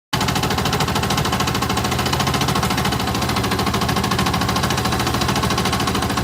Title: Yamaha R15 engine strange sound: connecting rod? decompression? timing chain?